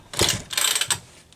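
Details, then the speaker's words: McCulloch Pro Mac 10-10S chainsaw with new starter rope and homemade pin and metal pulley: two quick rope pulls with firm puffs over compression, sounding good; drive side unusually loud, possible clutch issues. "that's some good sounding compression curious why Drive side is so bloody loud over here I wonder if they're any clutch issues"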